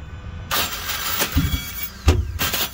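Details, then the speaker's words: Scion FR-S 2.0 manual, won't start: uneven cranking with sharp pops and explosions but never catches; gasoline was sprayed in, possibly flooded; starter not in good condition. "Aventó unas explosiones. Dicen que le rociaron también gasolina aquí."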